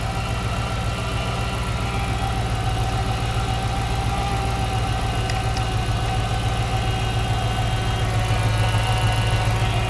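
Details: 2006 Chrysler 300 SRT8 V8 at idle after an intake manifold gasket replacement for a suspected leak causing cold-start vibration. Steady, even idle with a deep low rumble and no stumble, miss or rattle. Normal, healthy running.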